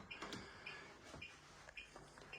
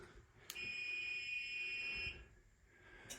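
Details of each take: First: Acorn stairlift beeps short and high about every half second because it is parked off its charge strip; it beeps continuously for about 40 seconds when not on a charge point. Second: Acorn 130 straight stairlift, direction button pushed and held to travel downstairs: steady high electronic beep for about a second and a half, then clicks and a clunk as the lift moves off; normal warning beep.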